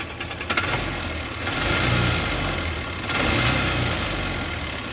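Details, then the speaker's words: Polaris Ranger 500 EFI after fuel pump replacement, a new plug and fixing a suspect wiring connection that caused spark loss and misfiring: fires and idles steadily with a couple of rev blips, no misfire heard. "Anyway, I got to messing with this wire and the plug and all that stuff, and now we actually have this thing running."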